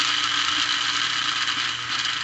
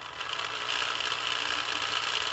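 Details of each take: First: Lionel plastic-case Scout motor (#1110 2-4-2) on a test stand after cleaning the brushes and commutator: steady, even, buzzy hiss at constant speed; noisy but smooth, normal for this motor, with better slow-speed control. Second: Lionel plastic-case Scout motor (#1110 2-4-2) run on DC from a DC transformer, so the reversing unit is inactive and it runs quieter: even high whirr with a light gritty gear buzz; the gears sound a little dry.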